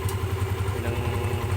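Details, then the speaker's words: Motorcycle single, cold, after valve clearance reset (previously ticking and weak on climbs): firm, even beat pulls up smoothly under throttle, louder and fuller, with no ticking or tapping. The valvetrain sounds healthy. "Accelerate natin. Pero, lumakas yung tunog niya, bumuo."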